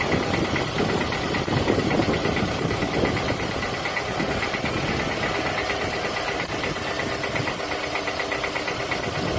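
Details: Piston slap at idle on a 2007 Toyota Camry ACV40 with the 2.4 engine: an even idle with hollow, loose, not sharply timed knocking running through it.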